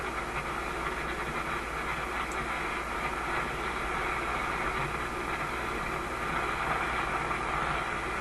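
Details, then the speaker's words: RCA A25 vacuum tube shortwave radio on a loop antenna, during IF/RF alignment: steady rough static hiss with a faint low buzz and no programme audio. Outside interference noise is overloading the receiver and knocking back the AVC. "There's the noise coming in again, knocking back the AVC."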